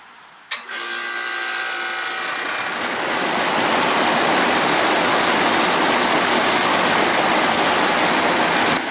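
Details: Bryant 561CJ030-B outdoor AC unit after replacing a dead, bulged run capacitor with a Genteq C3455R (fan had hummed but not spun, motor hot): a click, short hum, then steady even fan rush with compressor running smoothly; repaired, running normally.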